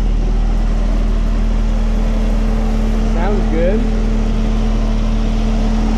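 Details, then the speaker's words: Saab automatic idling right after transmission fluid flush and refill, letting fluid cycle: even steady idle hum, low drone, no stumbles, knocks or whines; sounds good, normal idle. "sounds good and looks good must be good"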